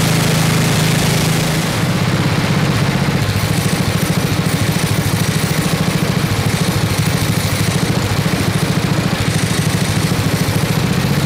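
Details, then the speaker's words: 1979 Toro 826 snowblower, 8 hp Briggs & Stratton, freezing cold: governor rod moved up from idle; putter picks up speed after a couple of seconds, then holds steady and even; runs properly. "all right that's awesome we got it will it run and yes it does this thing's awesome"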